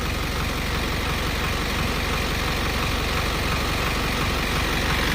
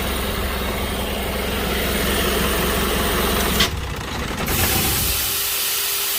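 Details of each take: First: Diesel vehicle that stumbled while driving, after its injectors were replaced and with no fault codes showing: a steady, even diesel clatter at a settled idle with no stumbles or misses; the engine sounds healthy. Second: Diesel that stumbled while driving, scanned for codes: loud clatter with an uneven, stumbling idle beat instead of a steady rhythm; the injectors were found faulty.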